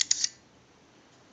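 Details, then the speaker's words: AE candlestick telephone rotary dial, on an analyzer test with each dialing ending in a two: sharp ticking bursts, a quiet stretch, then more ticks as the dial returns. It is pulsing normally and the numbers register. "now what we can do is we can plug the rotary dial into the analyzer it seized the analyzer and if you watch this number pattern you'll watch the numbers roll by"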